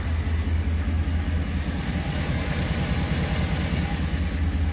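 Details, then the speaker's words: Ram 1500 with a 5.7 Hemi, right after changing the oil from 5W20 to 5W30: a smooth, steady, quiet idle with no Hemi tick or clatter. "so I just change the oil and uh listen how quiet that is wow that's really quiet I can't believe it that's impressive"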